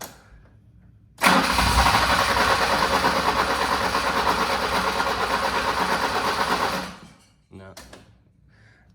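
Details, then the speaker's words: 1985 BMW E30 318i with the fuel pump relay in: catches on cranking and runs roughly about five seconds, then dies. Fuel pressure is not optimal. "it also will not keep running if there's no fuel pressure well not no fuel pressure but not optimal fuel pressure"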